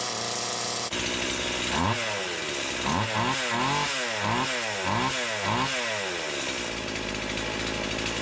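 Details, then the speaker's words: Stihl MS170 with Amazon replacement motor and a new Holzfforma carburetor, after full-choke start and warm-up: repeated throttle blips, revs climb and fall back lazily; owner says it sounds far more doggy than an OEM MS170; sluggish running. "now the saw since then does run cuts it sounds way more doggy than an original OEM ms17"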